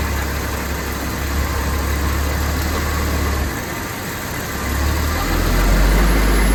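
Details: Jaguar XJ-S at idle: low idle with an uneven, lumpy beat of about three stumbles a second instead of a smooth hum; one or more cylinders misfiring.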